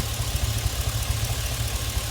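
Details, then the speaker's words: Chevy Express, rebuilt earlier, at idle with a cylinder 1 misfire that stayed put after swapping the injector and coil, watched on the scanner. Uneven, lumpy idle with irregular dropouts. A cylinder 1 misfire. "Cylinder number 1 I have now 8 misfire. This is 10 misfire, 12 misfire."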